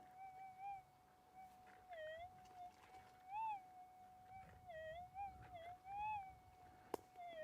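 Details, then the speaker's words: AlgoForce E1500 Plus gold detector in the high-EMI Whipstick area after scraping topsoil. Wavering mid-pitched tones come and go with no clean target signal; a dark soil patch, a possible change in ground, is suspected of causing the ground noise. "See, see that dark stuff there? It could be a change in the ground. Uh could be creating the the issue there."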